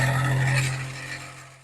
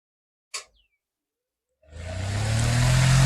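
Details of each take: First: Kitchen exhaust fan, small unit, running on power and held in hand: loud hum with rough scraping edge; dirt getting inside in the kitchen wore/cut the motor bush and shaft, causing the noise. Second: Kitchen exhaust fan after repair with motor bush and shaft replaced and refitted in frame: click, then smooth even hum and airflow, no rattle; noise had been caused by worn bush and shaft, now running silent.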